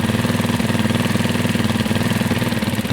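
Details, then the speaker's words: Carbureted Janus 250 single-cylinder motorcycle at full operating temperature: steady, even idle with no hunting or misses while the idle screw is adjusted to about 1600 rpm (target 1500–1800). "1500 to 1800 RPM is about a good idle spot I try to set it for about 16."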